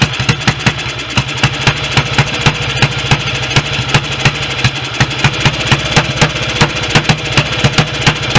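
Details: Restored BSA B31 single with magneto ignition, on thin 30-grade oil and no intake gauze: about three lumpy beats a second with sharp exhaust pops. The owner suspects the oversized carb jet is making it run rich and plans a smaller one; not confirmed.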